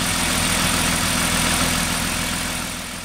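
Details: BMW E36 M3 after replacing a seized fuel pump and its melted, overheated wiring connector: smooth, even idle with a steady low hum and no misses, knocks or whine; engine running healthy after the repair.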